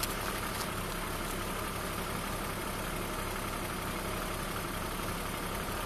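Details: BMW E36 328i Cabrio, M52B28 engine, at idle: steady idle with a constant hiss and faint whirring from the engine bay, long-standing annoying noise of unknown source; owner also suspects some power loss.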